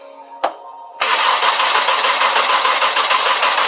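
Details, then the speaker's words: Honda F20C turbo engine after damage, with the turbo drain and alternator belt needing replacement: a click, then steady starter cranking at about 3.5 beats a second without firing while the oil pressure light is watched. "so it does crank it probably windy keep an eye on the oil pressure light"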